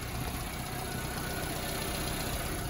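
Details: 1990s Subaru Sambar KS4 truck after cold/warm idle, distributor timing and idle mixture tuning, following a road run to over 40 mph; steady, even low idle with no misses, knocks or rasp, smooth constant note; running about as smooth as possible.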